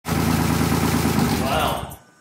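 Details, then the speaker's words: 2005 BMW E46 330i ZHP, 6-speed manual, wrecked with engine damage, after repairs: loud raspy open-exhaust idle with steady even firing then shutoff; runs well despite long effort to start. "I'm surprised how well it runs even though it took forever to get to turn on"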